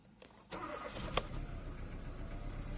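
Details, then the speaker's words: 2014 Kia Cerato that had overheated and wouldn't start, after cleaning the intake and the exhaust VVT solenoids and reconnecting them: quick crank, catches and settles into steady idle; cam targets match, normal start, though an idle stumble then appears. "السيارة اشتغلت، شوفوا تقريبا المحقق والمطلوب واحد في الانتيك وفي الاكزوست،"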